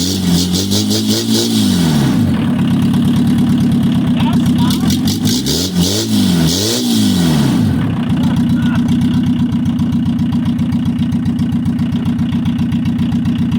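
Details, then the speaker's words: 1982 VW Rabbit diesel pickup with exhaust removed at header: loud raw diesel clatter swelling and dropping with throttle, then steady fast idle. "exhaust is off if that was uh race car special approved and now we've got the headers wide open what's it going to sound like now"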